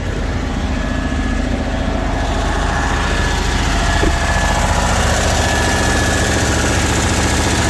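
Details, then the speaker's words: Diesel truck at raised fast idle, boost gauge showing vacuum: quick, slightly uneven puffing tick about three per second over diesel clatter; suspected exhaust leak, heard before oil pressure issues while towing. "I believe that that's an exhaust leak. I heard it before I had any oil pressure issues. I heard it last week when I was towing Davis' truck back to Ohio."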